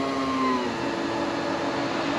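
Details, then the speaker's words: Car fuel pump priming at key-on, no engine start, after replacing the pump that screeched fighting clogged pre-filter; quiet steady hum with faint whine, almost inaudible, no screech; owner suspects degraded ethanol fuel clogging pre-filters. "it's almost inaudible at least out here yeah versus previously it was screeching"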